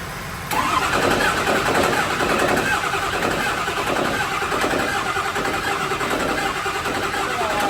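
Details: 6.0 L Power Stroke diesel from an old burnout truck, newly installed, first start after splicing a new cam sensor connector: cranks and fires, then settles into steady diesel clatter with slight stumbles and hiccups; engine starting and running.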